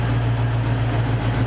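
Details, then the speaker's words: Cougar after fixing a major misfire, idle settled down: steady even low rumble with no stumbles, pops or skipped beats; runs smoothly, sounds really good. "Hey, that's a thumbs up for me. It actually sounds really good."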